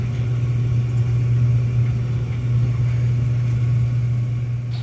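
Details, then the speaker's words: Smith oil boiler with indirect water heater, back running after a no-heat call reset by switch; high vent dry and dripping part replaced, low-water cutoff badly placed: even, low steady hum, no knocks or pulsing; water heater and two zones heating normally. "Alright, so got everything back, coming back nice and hot, water heater and 2 heating zones."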